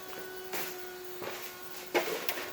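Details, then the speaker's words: Mercedes 300CE unused for over 5 years, no-start diagnosis: fuel pump relay jumped with a wire and throttle plate pushed slightly; fuel pump runs with a steady mid-pitched hum and light clicks, normal fuel pump operation. "alright let's test it out fuel pumps running"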